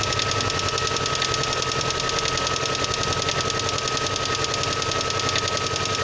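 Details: VAZ 2112 engine on a cold start: sharp, evenly spaced metallic knocking, about three or four a second, cutting through a thin engine hum; cause not determined.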